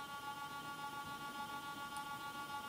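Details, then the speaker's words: Cheap Foxconn brushless DC box fan on a 555-timer PWM controller at its lowest speed setting: a steady high multi-tone PWM whine and a slow wavering hum; still turning and not stalling, but not as smooth as the quieter fan. "actually it is not really stalling so actually at the lowest speed uh rate it is still turning but it is not as smooth as the other one"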